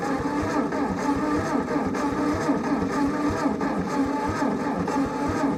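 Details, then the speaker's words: Old Ford Jubilee half-track tractor, sat in a field five years, cranked on a battery borrowed from a 9N: uneven, labouring turnover, about one heavy beat a second under a churning starter, never catching; cranks but won't fire. "Well, it's not getting something."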